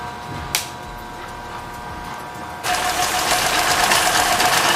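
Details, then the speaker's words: Tohatsu/Mercury 6 hp outboard that had bogged under acceleration and load, just after replacing its diaphragm fuel pump. The motor catches and settles into a steady, even buzzing idle at about four beats a second with no bogging or sputter: normal idle. "Alright, she's idling, so let's let her warm up for a minute and then we'll come back."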